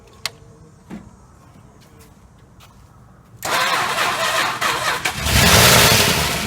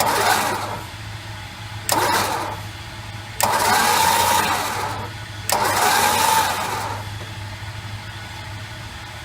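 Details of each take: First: 1968 Chrysler 300 440 V8, long-sitting car: quiet clicks, then catches with a loud rush and rises, unsettled, blowing rust from tailpipes; oil sprays from a loose oil filter. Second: 1968 Chrysler 300 with 440 engine, long-sitting car, on jack stands after oil and filter change: four even cranking bursts with no binding, catching or clatter; footage confirms all valves opening and closing smoothly.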